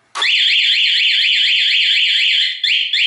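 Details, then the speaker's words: Taiwanese aftermarket plug-in alarm on a Kawasaki KSR motorcycle, armed with one press of lock: touching the bike sets off a shrill siren rising and falling about four times a second; a second touch makes it sound for 20 seconds. "ถ้ากดล็อก1ครั้งใครโดนรถนะครับเดี๋ยวผมโดนรถให้ดูเห็นไหมมันจะดังถ้าโดนอีกทีจะดัง20 วินาที"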